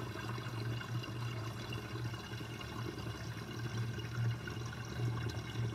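Water runs steadily with irregular low bubbling gurgles as the sink drains, the air gulping through the outlet.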